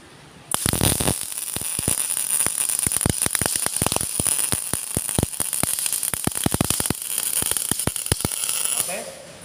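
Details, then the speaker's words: MIG/GMAW welding with the wire feed speed set too high, so the wire stubs. The arc gives a harsh crackle broken by irregular heavy knocks, and the bead comes out higher with more deposit consumed. "Di situ pada hasil asasan akan lebih tinggi, atau di situ konsumsi deposit las-lasannya lebih banyak, dan secara suara tadi suaranya seperti ada ketukan-ketukan atau benturan."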